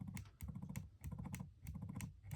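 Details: iPhone 11 after tightening the loose vibration motor screws: even low buzzing in repeated pulses with faint clicks, normal vibration instead of the earlier loud rattle.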